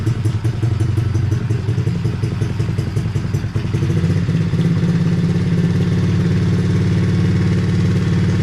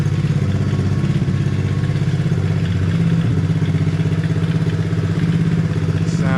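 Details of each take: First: Hawk 110cc ATV after replacing carb with stuck choke, choke off: small single runs fast and keeps creeping higher, never settling low while idle screw is lowered; high idle after carburetor replacement. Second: Hawk 110cc ATV, choke off and idle screw lowered; small single putters at an even, steady idle of two to three pulses a second with no misses, creeping slightly, now idles fine.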